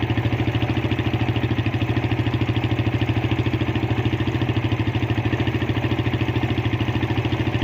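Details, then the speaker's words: Suzuki Satria FU with dead electric starter, run after bridging the fuse terminals showed starter works and fault lies in the starter-switch wiring: even single-cylinder putter about three pulses a second, no knocks or misses; healthy idle. "Kalau di sini bunyi berarti masalah ada di jalur daripada switch starter. Nah, ini ya sudah bunyi sekarang."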